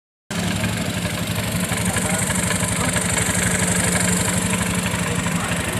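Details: Honda Beat FI automatic scooter at idle, CVT rarely serviced: an uneven rattling clatter about four per second over the steady engine beat. The noise comes from the CVT, with a worn, loose roller housing boss.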